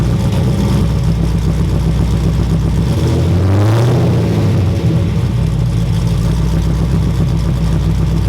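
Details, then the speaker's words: Freshly built 6.0L V8 in a Trans Am, first run with muffler, deep even idle picks up cleanly on quick throttle blips and settles back with no stumble; stayed cool, heater blowing hot, oil pressure about 60 psi. "It ran really freaking good actually, like I could give it little blips of throttle and it wouldn't stumble or anything."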